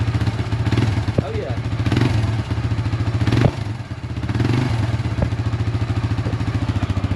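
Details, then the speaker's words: 1999 Suzuki DR350SE on a new AGM battery at warm idle: a steady, even single-cylinder thump with regular firing and no knocks or misses; running well, charging at 13.3–13.4 V. "It sure is running good, man. Don't it?"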